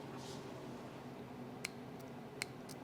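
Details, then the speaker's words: Overdrive solenoid from a 1975 Triumph TR6 J-type overdrive that works cold but fails when warm, bench-tested on a power source, drawing 2.28 A: two crisp light clicks, quieter than A-type since it includes the valve; plunger moving normally. "this one is a little bit more quiet because the solenoid also includes the valve"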